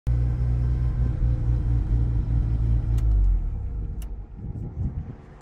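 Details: Mazda RX-7 rotary at switch-off: the deep rumble winds down with two sharp bangs about a second apart; the car backfires every time it is turned off.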